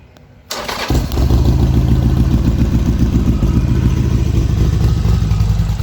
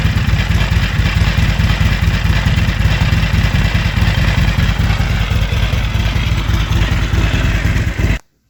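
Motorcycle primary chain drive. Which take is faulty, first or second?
second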